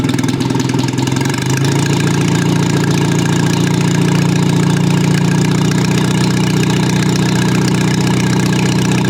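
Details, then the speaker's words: Old Rusty four-cylinder engine after corrections to firing order, carburettor and ignition timing: starts easily, brief rev then even low idle, smooth steady firing, no ticking or knocking; normal healthy idle. "I think this is pretty good. And it runs very smoothly, as you can hear."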